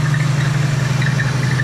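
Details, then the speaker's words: Old Oldsmobile V8, first run on its own fuel tank, cold shop, thermostat later opens: steady, even low rumble with smooth unchanging beat and no knocks or misses; normal idle. "But yeah, it's running pretty good."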